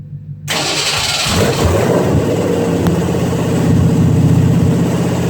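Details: Long-tube headers with H-pipe not yet connected, car on the ground after header, motor and transmission mount install: starter catches, then loud, raw, rapid-firing V8 roar swelling with revs; loud open-header exhaust, running healthy.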